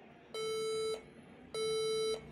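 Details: HP EliteBook 840 G3 laptop at power-on: two long, even mid-pitched beeps about a second apart with the F12 key lit, a POST beep code indicating a damaged RAM module.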